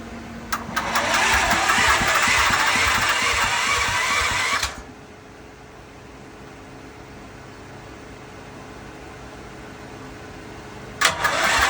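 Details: Westinghouse WGen10500TFc tri-fuel generator on natural gas, hard starting since purchase: about four seconds of steady cranking that never catches, silence, then another attempt; it runs normally once started; cause unknown.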